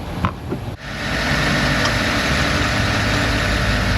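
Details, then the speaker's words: Engine starts after new spark plug wires were fitted and settles into a steady, smooth idle with no misses or knocks ("purring like a kitten"); removed plugs 4, 6 and 7 looked poor, and the engine is burning oil. "purring like a kitten"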